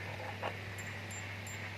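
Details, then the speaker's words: LG Flatron slim TV, dead with no indicator light: faint high-pitched ticks about three a second over mains hum at power-on, then it shuts off. Horizontal output transistor suspected shorted; transistor being removed to test. "Oke biasanya untuk kerusakan seperti ini itu biasanya terjadi pada ini ya transistor horizontalnya"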